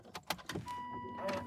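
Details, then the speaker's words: Aston Martin V8 Vantage S SportShift robotised manual, newly fitted transmission pump (Fiat part), door opened before start: after door clicks, a faint steady high whine holds about a second; pump priming normally, healthy. "So you will hear a slight whine to know that the pump is priming, and that's to know that your pump is good and healthy."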